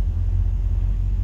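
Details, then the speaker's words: 1963 Ford Falcon with turbo 2.3L (144 cu in) on a cheap aftermarket throttle body with IAC, not fully warmed up, after idle adjustment: low, even rumble at steady idle, no misses or knocks; runs smoothly. "well i got running a lot better i can get the idle down it's a tough balance though between"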